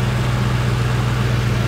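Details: 1996 Ford SHO after engine replacement, with no-crank fault traced to bad engine block ground; car now running on a temporary ground, steady even low idle with no misses, knocks or stumbles.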